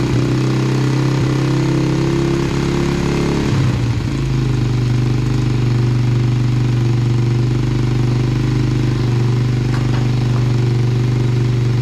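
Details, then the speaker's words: 2000 Yamaha TTR90 single-cylinder dirt bike, first start after carburetor refitted, possibly on reserve fuel: idles steadily but noticeably fast with a busy even beat; choke seems to be sticking and idle screw needs adjusting, carb suspected dirty. "it's idling a little bit fast well spray a little carb clean OD we can feel too that carb must be dirty"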